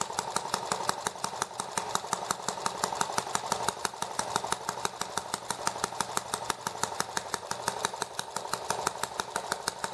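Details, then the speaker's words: ET8 small engine (from Banggood) on first start after rebuild with replacement parts, 40:1 fuel mix, rich, throttle about half, cold: sharp pops about three a second, rough and unsteady; intake valve leaking, puffing air back through carburetor, valves not yet seated. "oh yeah that intake valve is that intake valve is leaking a lot i can feel it puffing air back out through the uh carburetor there so"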